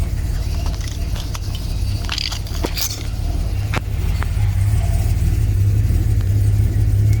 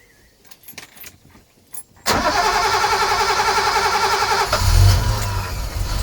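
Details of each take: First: Second BMW B220 marine engine on a Sunseeker XPS 25, first start after revival work: deep, steady idle burble with an occasional uneven beat, a slight miss expected to clear out; otherwise very smooth on tick over. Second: Sunseeker XPS 25 powerboat, BMW B220 engine, on a water supply, after priming the fuel filter water separator pump until hard: quiet clicks, then it catches at once and settles into a steady, even idle with a brief rev blip. Normal start and idle.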